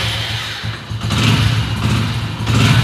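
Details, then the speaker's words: Hero HF Deluxe after repairing a broken wire at the neutral switch that stopped electric starting: starter cranks briefly, engine catches into a low, steady single-cylinder thump, now starting in gear without the clutch. "देख रहे हैं अब बिना clutch लिए हमारी bike start हो रही है।"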